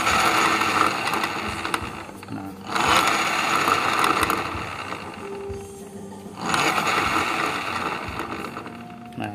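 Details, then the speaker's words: Honda Vario 110 scooter after a shop visit: rough, gritty whirring rising and falling with revs from a worn CVT pulley bearing; after the fix it is reduced but not fully gone. "ternyata tadi saya pasang ini masih ada bunyi kasar jadi ada suara bearing ini ini bearing baring puli ini"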